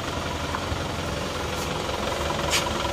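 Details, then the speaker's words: Isuzu Panther pickup diesel at about 60°C after injection timing advanced (cured white smoke) and new parts fitted: even, steady clatter, no misses or heavy knocks; smooth normal idle, credited to the new part. "ini sekernya baru ya jadi suaranya bisa halus seperti ini karena ini seernya baru"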